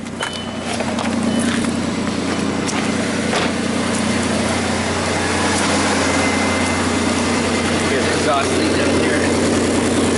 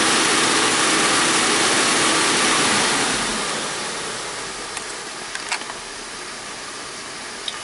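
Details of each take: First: 2001 Audi A4 Quattro 2.8 L V6 at cold start idle with a blown flex pipe leaking upstream of the oxygen sensor, setting fuel trim codes; loud raspy exhaust note with a fast puffing chuff. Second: 2001 Audi A4 Quattro 2.8 L V6 after replacing a blown flexpipe and adding an O2 sensor spacer: strong rev drops back to a smooth, even idle with no puffing or ticking; exhaust sounds sealed and healthy.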